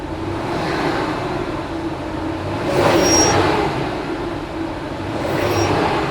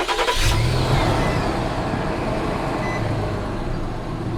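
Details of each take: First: Truck engine revved three times after replacing idler pulley and tensioner (following a radiator job that included a new serpentine belt): thin high chirp rises with each throttle blip; noise persists, so owner concludes it's not the belt, pulley or tensioner but something else. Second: Truck engine starting and idling, then revved, after swapping a new Gates serpentine belt for a Continental one: even idle, no squeal or chirp; noise gone, owner concludes the brand-new Gates belt was faulty.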